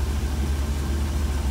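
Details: Deep, even rumble at constant speed on a 1966 Cadillac with a Holley Sniper EFI, rock-solid once the IAC is unplugged; with the IAC under ECU control the idle hunts, worse as the engine warms.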